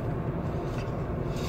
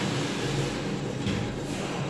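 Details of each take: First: Renault Clio III on test drive after wheel bearing replacement (and timing belt job): smooth steady low road rumble, no hum or growl from the wheel; bearing noise gone. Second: Renault Clio III rear wheel, hand on axle while spinning wheel by hand: coarse low rumble fading as wheel slows, vibration felt in hand, worn wheel bearing; customer complained of abnormal noise, drum then removed.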